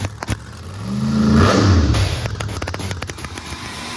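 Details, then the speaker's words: After a new F3R136 part was fitted, timing checked and two reversed wires fixed, the engine catches, blips sharply, then settles to a steady even idle near operating temperature, no misses, healthy on all cylinders. Normal idle. "now Idol's perfect sounds healthy cylinders are all good it's pretty good temperature so we're pretty close"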